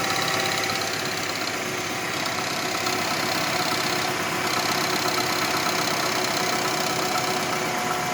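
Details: Renault Megane 2 on cold start at idle: loose, tinny knocking two or three times a second, gone once warm and absent while driving, sounding like engine or dual-mass flywheel; actually the exhaust manifold heat shield rattling.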